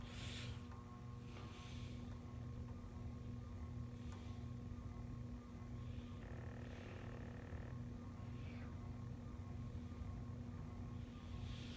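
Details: Menards Turn of the Century ceiling fan with solid-state speed control, on low drawing about 0.25 A: steady low electrical hum and buzz; motor judged too noisy for bedroom or living room.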